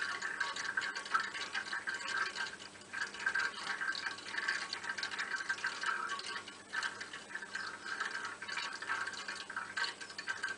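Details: Hot-water heating radiator: quiet irregular bubbling and trickling with soft gurgles like water running into an open free surface; diagnosis is air trapped in the radiator.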